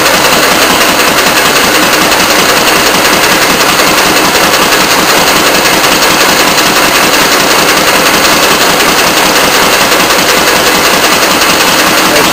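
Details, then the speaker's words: Antique Fairbanks Morse throttle-governed hit-and-miss engine on a homemade Prony brake, measured at 450 RPM by tachometer at the shaft, before load is applied: loud, harsh exhaust cracks at a steady beat, a couple each second; normal unloaded running. "at 450 RPM now we're ready to add the weight and impose the load"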